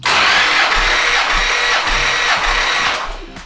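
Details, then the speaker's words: 1970 Plymouth GTX 440 V8, old engine before rebuild, warm, full throttle, all 8 plugs out, compression test: quick even cranking whirr with steady pulses, no misses or grinding, then winds down; just under 150 psi, hoped 180-185 after rebuild; normal cranking. "Well, we can go just under 150, all right? It should be at least, well, who knows what it was in those days. Don't forget it's an old engine."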